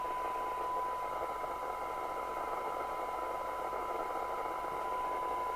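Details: York JCB861 UK FM CB radio (Cybernet 234, 1981, Japan), restored to factory standard after illegal modification, run at 12 V on signal-generator test: steady even receiver hiss with faint constant tone, no crackle or dropouts; receiver sounds healthy and sensitive.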